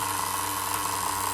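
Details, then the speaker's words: Duratrax Overdrive ST nitro engine rebuilt from spare parts (cut crankshaft, different piston and sleeve, Tamiya carburetor): a high, buzzy idle holding perfectly steady with no surging or stumbling. A normal idle, though slightly lean on top. "regular nitros, brand new, never even idled that good. Look at that."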